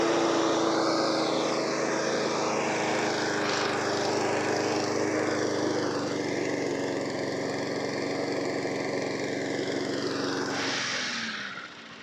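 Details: Mower sent in as a non-runner, started on fresh fuel: steady, even buzz for about ten seconds with no misfires or hunting, then smooth wind-down; healthy normal running.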